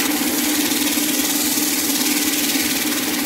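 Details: Roller sander built from a salvaged universal washing-machine motor (up to 17,000 rpm unregulated), fitted with a speed regulator to control speed and keep torque; steady motor hum with faint tone near 300 Hz and even rolling whir, no knocks; runs normally.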